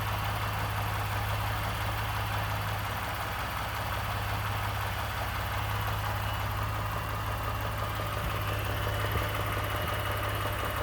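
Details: 2018 Ford F-150 with 2nd-gen 3.5 EcoBoost V6, 29K miles, at idle; steady idle with a loose, uneven knock and rattle about three per second over the hum, source undetermined (owner mentions cam phaser startup rattle).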